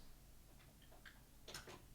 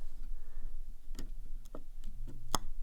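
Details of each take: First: Lutron Maestro fan control and light dimmer switch rocked up and down: a few faint, soft clicks from inside the switch as the light dims in a quiet room; normal dimmer relay clicking. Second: Lutron Maestro fan control and light dimmer wall switch: sharp, irregular popping and buzzing over a faint low hum as the dimmer is moved, with occasional small flashes inside; suspected arcing, cause not confirmed.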